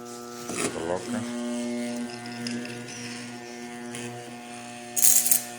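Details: Trooper angle grinder/polisher that sparks heavily and loses power, armature on a growler with hacksaw blade: steady mains hum, blade buzzing hard against armature, indicating shorted (crossed) coils; shorted armature coil, rewind needed.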